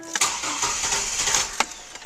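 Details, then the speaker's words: 2004 GMC Envoy/Chevy TrailBlazer started with the fuel pump relay (No. 41) removed to relieve pressure before a fuel filter change: brief crank, barely catches with a few uneven firings, then dies from no fuel delivery. "now you're going to go start the truck okay so start the vehicle that's pretty much it she didn't even last"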